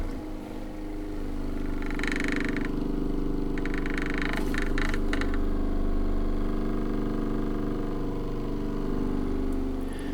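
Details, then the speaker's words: Violin acoustic enhancer, a small computer fan motor running on low voltage, sitting on the bridge like a mute: steady low motor hum with short buzzy rattles as the power lead vibrates against the metal fine tuners. "a slight rattle you hear is the lead vibrating against any of the metal work in this case is fine tuners"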